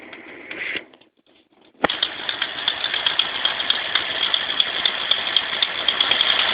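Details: 1995 Ford Mustang 351W V8 at idle: fast, steady light ticking about four per second; owner can't tell whether it's an exhaust leak or a lifter tick.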